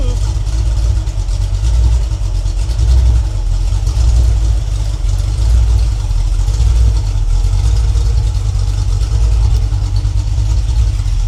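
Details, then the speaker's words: Freshly rebuilt Ford 302 V8 (E-303 roller cam, Edelbrock heads, Holley 600 carb) on its break-in run: deep, steady rumble with even firing and clean throttle blips, idling at about 700–800 rpm. Possibly reading slightly rich, and it is nice and smooth. "yeah looks like we got about 700 800 RPM idle I think this Read's a little rich but uh the fan off for a minute sry for the sock but nice and smooth"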